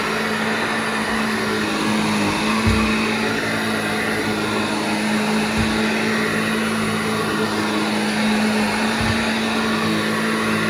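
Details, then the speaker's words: Vintage Hoover 1334 vacuum cleaner after full restoration, motor stripped, cleaned and reassembled: steady, even motor hum with constant pitch and a soft thump every few seconds as it rolls; runs smoothly and sounds healthy. "Now that sounds so much better. So there we go, we know it works."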